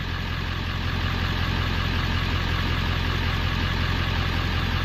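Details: 1994-97 OBS Ford 7.3L Powerstroke after electric fuel pump conversion, fuel pressure building around 40–45 psi, regulator still to set: steady, even diesel clatter at idle with a low, regular beat, no misses or stumbles; idling normally.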